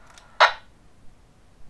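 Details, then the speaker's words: Handheld radio receiving a transmission from a Retevis radio: a single sharp static hiss, the squelch crash, bursts out at the end of the transmission and gets loud when volume is raised. "i słychać hałas na końcu transmisji To katastrofa blokady szumów i to nie jest bardzo przyjemne ponieważ jeśli ktoś mówi cicho, być może trzeba zwiększyć głośność a wtedy rozbicie szumów będzie bardzo głośne."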